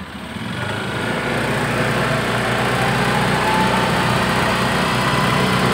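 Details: Honda Beat fuel-injected scooter that had died completely with a normal battery, after oil got in: small engine revs to a steady buzz with a light rapid tick of about four per second.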